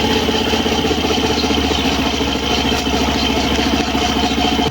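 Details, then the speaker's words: Suzuki Burgman Street EX 125 scooter at idle with the stock CVT drive belt fitted: steady scraping rasp over a raw mid-pitched drone, once mistaken for a torque drive bearing ring fault; cause is a worn CVT belt. "Narinig niyo yung kakaibang tunog na kumakaskas. Yan ang inakala ko dati na nasa torque drive bearing ring ang problema. Yun pala ay nasa belt lang."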